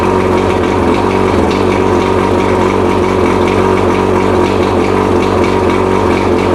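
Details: Mercury 115 two-stroke outboard, first test run after 18-month rebuild fixing idle hammering from severely worn piston (two engines combined), on water and premix tank: loud steady burble at idle, even beat, no knock underneath.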